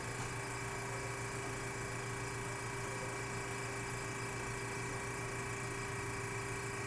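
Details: Antique GE Monitor Top DR-1 refrigerator compressor just started after repair, high-side pressure rising, warmth felt, cooling starting; quiet, smooth low hum with faint steady tone, no knocking or rattling; running normally.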